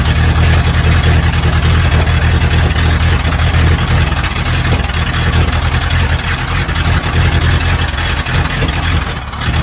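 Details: 1976 Broderson IC70 crane, abandoned for years, tank cleaned: a heavy, low, steady chugging idle at about three beats a second, even and sustained; the old diesel is running, though it would not shut off.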